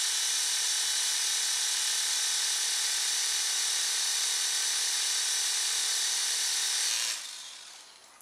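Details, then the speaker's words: Silverlit PicooZ Sky Challenger toy helicopter (channel B) after only seconds of charge: high, thin whine held about seven seconds, then dies; the motor runs before the rotors turn, and the owner suspects missing gear teeth. "for the motor's starting to run before the rotors are moving so I think we might have some teeth Miss Missing in there"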